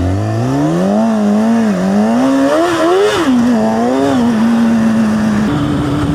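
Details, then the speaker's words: Motorcycle with 45,000 km ridden at constant speed: engine note surges and sags unevenly, a jerky drive pulse; rider suspects the drive chain, tightening it several times did not help. "Ne znam koliko uopće čujete, ali non stop, evo sad ga držim na nekoj brzini konstantno, zacukuje baš. To je sve zbog lanca, jel?"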